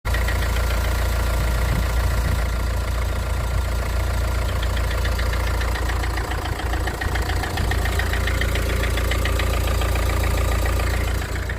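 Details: Opel/Vauxhall Vivaro 1.9 diesel on a cold start: cold idle with a hard, fairly even knock at about 3.5 per second from inside the engine; cause unexplained.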